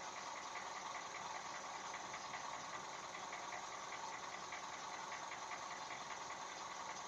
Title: Стук в двигателе 1NZ